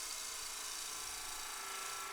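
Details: Spindle turning on a wood lathe, bevel rubbing with cutting on the heel/bottom half of the tool, producing planar shavings: an even, continuous shearing hiss with no chatter or catches; a normal clean cut.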